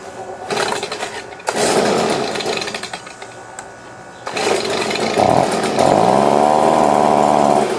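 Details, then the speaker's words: Stihl BG50 two-stroke blower that cranks up but has no power: revs up and drops back, with the high-speed note wavering and never holding strong. Low power and surging at high RPM. "Just at the very, very high RPM, you can hear it kind of waver. But it started pretty easy. Now this one, he said, it cranks up. But no power."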